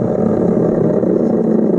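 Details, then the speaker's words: Dishwasher motor, found seized on the shelf and freed, spun by hand: steady, gritty low-mid rumble with rough grainy texture from a bad bottom bearing. "That is not going to do at all. So that's a bad bearing right there. That guy right there is bad."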